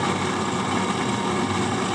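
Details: HP 8901B Modulation Analyzer during power-supply adjustment at test points, original fan still fitted: steady airy roar with a faint constant-pitch whine, no speed change; worn, noisy cooling fan, later replaced.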